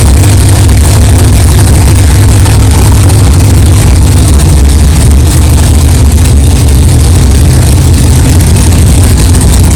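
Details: 1964 Chevelle 383 stroker V8, first fire-up after 8-month build, fresh power steering pump and carburetor, 11° timing, 63 lb oil pressure: deep steady idle burble, even firing, no knocks or clatter; runs smoothly, healthy.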